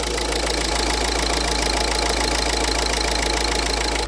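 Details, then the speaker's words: 2011 Ford Focus 1.6 TDCi, started up with no fault codes, smoky: steady diesel idle with a light, quick tick over the clatter; owner thinks it is an injector, not confirmed. "It seems to run okay, like that. Bit of a tick coming from some of it. I think that's an injector."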